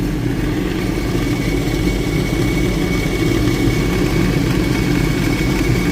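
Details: 2007 Sea-Doo GTX idling just after a steering cable replacement: a steady even idle with a deep rumble and no knocks or misses. Running smooth and healthy.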